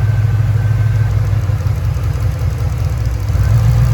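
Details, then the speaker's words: P38 Range Rover V8 idling on LPG after the gas solenoid clicks on; the light quick clacking at engine speed is normal gas injector operation, though a light gas leak is present. "We're on gas now. So you can hear those injectors make a distinct sound that's a bit different to normal ones."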